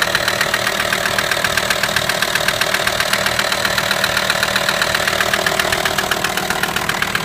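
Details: VW T5 with AXD diesel engine idling: a sharp, even knock about four times a second over the diesel clatter. A mysterious engine noise whose source has not yet been found.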